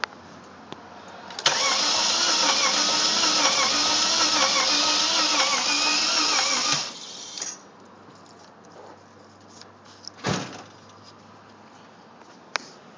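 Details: 1995 Mercedes E320 that overheated and sprayed oil: starter turns it over steadily for about five seconds with an even cranking beat but it never catches; cranks, no start.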